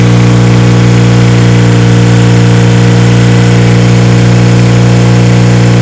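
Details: 1977 Kawasaki KZ1000 D6 (Z1) sidecar racer, first run after about 20-25 years stored: steady deep idle, fairly even beat on all four cylinders, but the exhaust note sounds off, hollow and funky.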